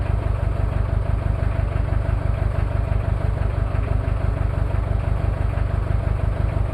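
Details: Toyota 2L-T diesel cold start after piston ring replacement without top overhaul, possible head issues: clatter at cold idle, steady beat about three per second with rough uneven knock; one bad injector.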